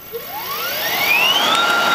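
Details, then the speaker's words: Electric go-kart, unloaded motor on newly programmed controller: whine climbs and holds pitch instead of dying away after throttle release; motor keeps spinning, owner suspects a controller setting, more programming needed. "yeah if you all can see it's not stopping so there's uh there's something in there that like has an inch so i guess it's that so definitely some more programming needed to be done"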